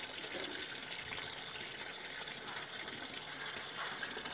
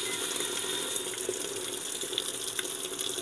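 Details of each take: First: Sanyo washing machine with no clock display: constant hissing gush of water that never shuts off, tub nearly full but no washing; the fill keeps running, traced to a failed water-level pressure sensor. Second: Sanyo washing machine, lowest water level selected: steady hiss of water pouring into the tub with no hesitation or chatter, a normal fill, before the water shuts off.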